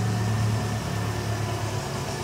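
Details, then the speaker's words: Renault Megane 2 1.6 with automatic gearbox after major engine repair, still on old tensioner and drive belt: smooth steady idle with even low drone, no tapping, knocking or misfire; engine runs well. "сам мотор работает отлично здесь есть ещё нарекания мы немного ещё не доделали"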